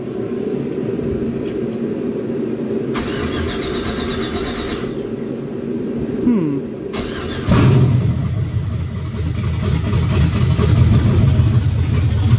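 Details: 1966 Chevy C10 with LS swap, cold, during cooling system bleed: starter whirs, engine catches at once and settles to strong steady lumpy idle; later died when fuel pump blew off tank pickup tube.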